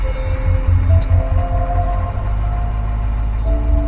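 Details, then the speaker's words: 1994 Ford F250 diesel cold start after waiting for the glow light and pumping throttle two or three times: steady low diesel rumble settling into an even idle, partly covered by music; sounds good, normal cold start idle. "Sounds good. This is my 1994 F250."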